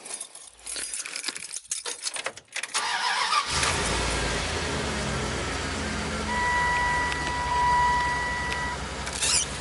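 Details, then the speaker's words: Van engine start after fix: keys rattle, engine starts and settles into smooth even idle, no previous squeaking; starts and runs quietly. "yeah no more squeaking as you can you can hear very nice and quiet now"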